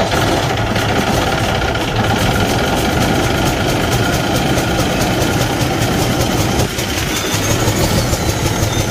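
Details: Kenworth T680 truck with a Cummins ISX15 diesel running; rough, gravelly chuff over a steady rumble from a damaged cylinder leaking compression, causing no power and high crankcase pressure.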